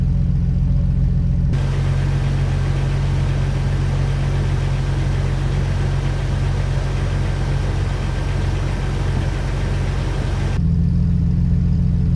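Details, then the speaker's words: Jeep Wrangler TJ six-cylinder after fitting Autolite iridium spark plugs to cure a cylinder 3 misfire with rough idle: deep, even idle with no stumble or missing beats. Normal idle after repair. "so I changed up the spark plugs with the Iridium's and it's running perfectly it's not hiccuping it's not stuttering it's driving beautifully it's exactly how it was before there's no weird noises"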